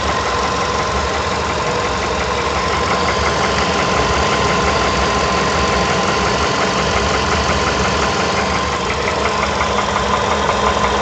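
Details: VW Polo Sedan engine knock at idle: a steady light knock about three times a second with a fairly even rhythm, said to be a piston knock.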